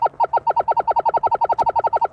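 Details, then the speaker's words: Minelab Equinox on Prospecting mode, recovery speed lowered below 5–6 to amplify tiny targets: rapid, even tone pulses about nine per second at steady pitch, a clean quick response to a faint small target. "you see that's rapid, you don't need much more than that. That's your faint stuff."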